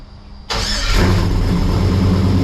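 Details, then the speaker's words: 1955 Chevrolet Bel Air with LM7 5.3 V8 and Comp Thumpr cam, awaiting a remote tune; cranks briefly, catches at once and settles into a strong steady idle with a slight lope. Healthy cold start. "I put a comp thumper cam in it, so you'll hear that in a second. Fire up, so it actually has a nice little lope to it, but nothing crazy, just enough to kind of give it that classic car, you know, sound."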